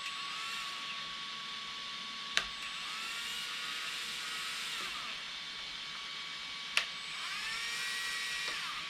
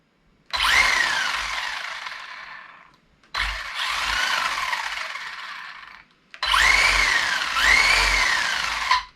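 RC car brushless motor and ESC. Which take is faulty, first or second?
first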